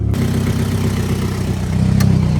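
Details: 2007-2008 Mitsubishi Lancer just after DIY oil change with about 5 liters SAE 5W20, restarted to build oil pressure: smooth even low idle, steady hum, no knocks, ticks or misses; healthy, no leaks.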